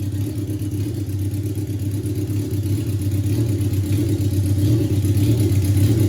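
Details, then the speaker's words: 1982 Suzuki GS650 Katana, carbs cleaned, just started: loud, lumpy four-cylinder idle with uneven beat around a hundred pulses a minute; it later loads up, bogs with black smoke and dies; owner suspects fuel system; rough idle. "you can hear how it doesn't idle really well [Music] but it makes me smile because it's really loud but you can hear how it doesn't idle very well that's what it's like driving it"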